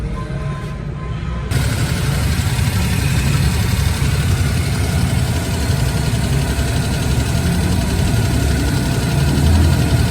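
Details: Suzuki Every van after a water body change: low, steady idle with an even beat and no whine, squeal or knock. The engine sounds healthy; normal idle.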